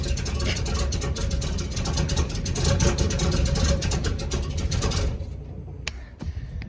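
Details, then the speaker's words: 334 small-block Chevy V8 after break-in and oil change: strong, even running with quick throttle blips, no knocks or ticks; still needs a little tuning. "still got a little bit of tuning to do but she sounds good doesn't she"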